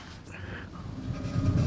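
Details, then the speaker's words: 1967 Ford F250, wheel on a lift spun by hand; deep hollow rumble like a bowling ball down a lane; owner suspects wheel bearing worn or not tightened, wheel also drags (brake pads or adjusters suspected). "Sounds just like a bowling ball going down the lane. And I noticed that the bearing is either shot or it's not tightened down very good."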